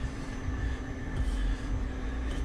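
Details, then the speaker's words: Electric fuel pump in race car after failed dyno (Hellcat pump drew ~18 A, tripping AIM PDM), running flat out circulating and returning fuel, static pressure 48; quiet steady hum with faint constant whine, no surging: normal fuel pump running. "hear that is pumping fuel around, returning."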